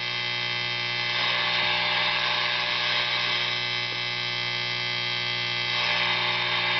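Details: Tube guitar amp during an oscillator/tremolo circuit build: constant buzzy hum with hissy whining overlay swelling and fading as the filter-capacitor discharge wire is touched; radio interference via stray capacitance, which a grid stopper resistor usually prevents.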